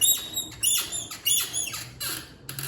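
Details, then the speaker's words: 2020 Moto Guzzi V85TT rear monoshock before repair: sharp high squeaks, about five in under three seconds, from a stiff top heim joint full of dirty grit; cleaning and greasing the joints stopped the squeak. "Okay, so today we're trying to fix the monoshock squeak that so many people have been talking about on the internet."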